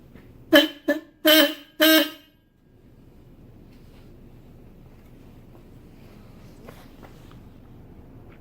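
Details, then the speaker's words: Subaru Impreza WRX bugeye wagon, newly wired aftermarket super horn after fixing grounding: four short loud, clear, strong blasts; horn working properly. "there you go we are super horned look how JD and that is"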